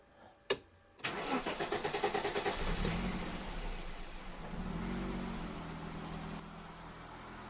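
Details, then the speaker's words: Aston Martin DBS resto-mod on an aftermarket Emerald engine computer, firing sequence now corrected: quick crank, then a smooth, even idle. An earlier misfire eased after 20–25 minutes of run time; owner suspects rings sticky from sitting. "So yeah, as you can hear, it's pretty smooth."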